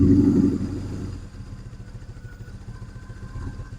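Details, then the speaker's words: BMW R1100R boxer twin after valve clearance adjustment and spark plug replacement, cold start without choke after days unused: loud catch, then even, low, steady thump with no misses or ticking; normal cold idle. "that's running beautifully so as you can hear that's running beautifully for this bike considering it's cold starting without any choke"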